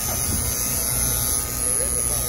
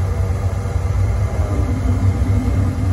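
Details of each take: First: Carrier three-phase package unit, no-power-at-thermostat call: steady electrical buzz over unit noise from a solenoid energised with 24 V although nothing is calling for cooling; solenoid chattering, cause under investigation. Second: Carrier three-phase package unit after replacing burnt contactor that had one leg stuck closed, making system run constantly: deep, steady compressor and fan hum, no chatter or buzzing; everything running normally.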